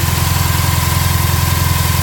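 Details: 2.5L hybrid Bug-eye Subaru WRX with 1000cc injectors, Dom.3.0, catless up/down pipes: idle sits high with a lumpy, pulsing low beat that never settles; rough running, cause not yet pinned down.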